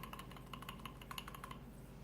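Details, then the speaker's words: Crosman 2240 air pistol, valve installed but not pinned, held only by a standard screw in a standard hole: quick light uneven clicks as the valve rattles loose in its bore, shifting the transfer port; loose valve rattle. "That's because these are just a standard hole, standard screw, and you get slop. As you can hear your valve rattling around."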